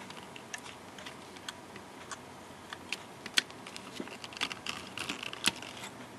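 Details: Hard drive that stopped working on its own, not dropped; a failed electronic controller board suspected: quiet whir broken by sharp, slightly uneven ticks about every two seconds while the system fails to read the file system; click of death.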